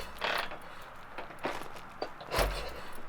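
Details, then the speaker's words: Shovelhead chopper with aluminium heads (stripped bolt holes repaired) cranking on the starter: uneven chuffing bursts, each stroke pushing back firmly. Good compression; owner suspects worn valves, valve seals or guides. "and it still has good compression too yeah I can hear it so it's it's not terrible"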